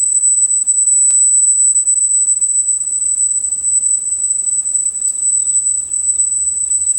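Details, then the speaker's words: Sony TC-850 reel-to-reel deck, capacitors already replaced, speed calibration: 8 kHz test tone reads 7.89 kHz, a touch flat, so tape runs slightly slow before adjustment to 8 kHz. "let's try this ok we'll start at playing and of course now we see that seven point eight nine so let's just crank this up until we get to eight"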